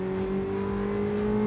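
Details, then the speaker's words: Classic Ferrari on a road test drive under hard throttle; a smooth engine note climbing steadily in pitch with an extra "dig in and grunt" sound when pushed, clean and even with no knock or misfire. "you really get on it, there's an extra sound that sort of emanates from the cars. It gets ready to dig in and grunt out, and you have to experience it."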